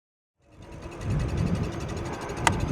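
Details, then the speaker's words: iScooter DX5 Pro 2000W seated electric scooter pulling away on the road: rapid light clicking ticks over road and motor noise as the front brake rotor hits its caliper. "Okay, so uh, you can hear that clicking up front. That is the rotor hitting my front brake."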